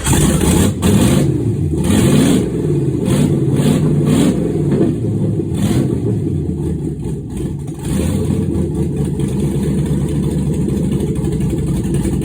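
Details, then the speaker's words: Freshly built engine on its first start, which needed a little throttle and the mass airflow sensor connected: loud, rough open-pipe rumble with throttle blips rising and settling; normal running. "I was having give me a hard time and all it was is I just needed to give it like a little bit of the throttle and have this thing the mass airflow hooked up to a little bit but it started what a relief holy cow"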